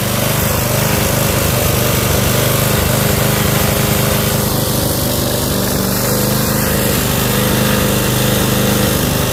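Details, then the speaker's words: Toro 5.5 hp self-propelled curbside mower, choked and then set to full run for an extended 10–15 minute run. Once fully warm it gives a steady, even single-cylinder drone with no misses, knocks or surging, having run better as time went on. "So as you can see, it ran better. Got better as the time went on with it."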